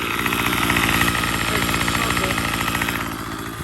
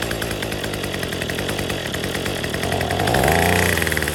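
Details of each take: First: Troy-Bilt TB35 two-stroke trimmer after an aftermarket carburetor replacement and tuning: crisp, rapid buzz holding steady speed without stumbling or surging, running cleanly and evenly. Normal running. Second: Troy-Bilt TB35 two-stroke weed eater with new untuned aftermarket carburetor, new fuel lines and filter, fresh gas, on full choke: buzzy engine runs unevenly, surging up in pitch then sagging; rough running, carb tuning suspected needed.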